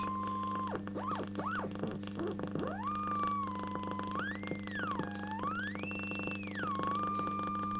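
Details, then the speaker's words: Hallicrafters S-20R tube receiver, first power-up with bad filter caps: clear whistle gliding up and down with tuning over steady mains hum; BFO beat tone working normally. "I don't know if you can hear that. The BFO is working."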